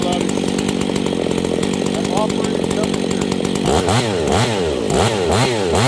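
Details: Husqvarna 268 chainsaw warming up while the low-speed jet is tuned; uneven revs, then pitch surges up and down as it stumbles; lean low-speed mixture causing a bog.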